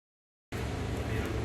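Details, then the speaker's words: 2016 Chevrolet Tahoe LTZ V8 petrol idling with a steady, even low rumble after fixing P0300 random misfire and stalling caused by water-contaminated station fuel, by draining and cleaning the tank and refilling. "طبعا هذه السيارة بعد تغيير البنزين، تنظيف التانكي وتغيير البنزين، تم التشغيل الحمد لله. الأمور طيبة،"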